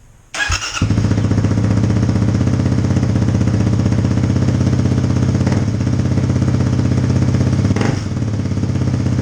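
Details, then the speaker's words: 2018 Kawasaki KLX250 single with new FMF Q4 slip-on exhaust, silencer insert fitted, mid-pipe resealed after leaking; after starting, loud, deep, even idle thump about four beats per second, steady and clean; healthy idle. "alright by the way there is a silencer in it so this can go louder but it's pretty damn loud as it is"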